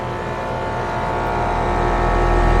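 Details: AC condenser on a no-cooling call, restarted after adding a hard start; compressor rated 19.9 A, fan about 1–1.2 A. Steady compressor hum with smooth fan rush building slightly, no rattles or buzzing: normal condenser operation.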